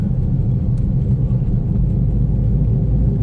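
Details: Toyota Vios taxi on a road test: steady, heavy low roar like grinding metal or a mixer, felt through the floor, no knocks or squeal; noisy wheel bearing while driving.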